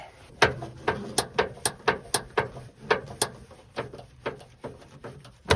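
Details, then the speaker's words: 29-year-old Subaru Sambar kei truck that won't start after winter, electric fuel pump cycled with feed line open: fast uneven ticking clicks about two a second with no fuel load; pump running dry, not priming. "well it's obviously bone dry maybe putting some air through that might help or that would damage the diaphragm in the pump wouldn't it"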